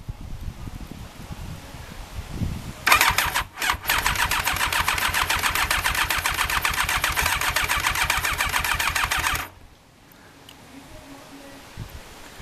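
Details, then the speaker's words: Thunderace engine, first start attempt after a rebuild, with petrol poured in first: steady rapid starter churn about three or four turns a second for six seconds, never catches and runs; cranks but doesn't start. "well I thought I heard it try and Fire but"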